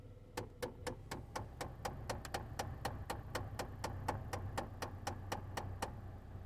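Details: Chevy HHR AC/heat system: sharp regular ticking about four per second behind the dash over a quiet hum; dashboard clicking.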